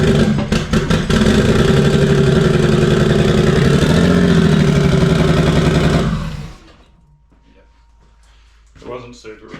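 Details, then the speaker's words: Freshly rebuilt Barra engine in drift car 'Penny' at first start, with fuel fittings still loose: loud, lumpy idle with an uneven stumbling beat and a gap in the firing rhythm, shaking; one cylinder dead, running on five. "it's only on 5 cylinders for one. So yeah, pretty pumped that this thing got going last night."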